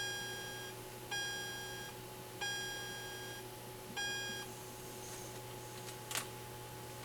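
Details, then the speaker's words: 1979 Atari Asteroids arcade PCB: repeated electronic tone bursts with a click at the start that cut off flat instead of fading; sound effect lacks its decay tail, suspected bad capacitor. "because it kind of sounds like the right sound almost like that except it doesn't have the tail it doesn't have the tail off and that's where the caps come in so it could just be a bad cap"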